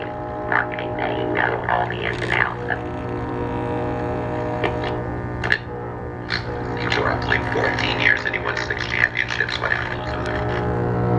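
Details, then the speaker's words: 1946 Arvin 4-tube metal midget radio with a test speaker, tubes warmed up: a loud steady 60-cycle hum under the received station. The electrolytic filter capacitor has failed; the oscillator coil, antenna coil and IF transformers are fine. "okay so we know the electrolytic filter capacitor is bad but since we hear stations and that tells us that all the major organs are good like the oscillator coal the antenna coil and the If plants come on"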